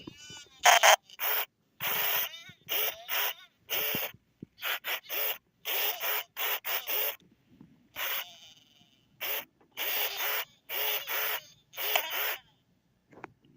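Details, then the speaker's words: 1998–1999 Furby with a failing speaker: short chirpy voice bursts with harsh crackle, fuzz and distortion, pitch sagging and recovering; the speaker is burning out and will go mute unless replaced. "somewhat hear what the Furby is trying to say, but you can really hear the crackling. So she'll eventually turn into a mute Furby if I don't replace the speaker. You can hear how the voice pitches go down and then they go back up. You can really hear the distortion."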